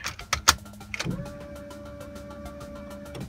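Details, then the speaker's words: 1992 Honda Civic with B18C engine, after resoldering cracked joints on the main relay to fix intermittent no-start: a couple of clicks at key-on, then a steady mid-pitched hum for about two seconds that cuts off cleanly; fuel pump priming normally. "a good sign I hear the fuel pump and all right and live easy"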